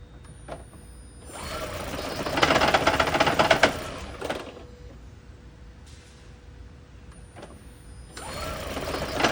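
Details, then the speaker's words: Lexus/Toyota hybrid (Prius, CT200h type) engine at startup and idle: uneven clattering rattle in surges, about three knocks a second, engine shaking; rough idle from a clogged EGR system, valve found looking bad. "All right, now let's see if it's smooth at startup. That doesn't sound good at all."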